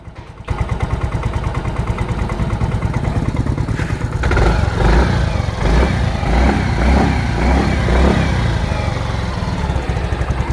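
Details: Yamaha automatic scooter, started after valve stems were cleaned, valve seals replaced with TGP parts and valves leak-checked for compression loss: it catches at once into a steady low thrum with throttle blips, no knocking or ticking; healthy running.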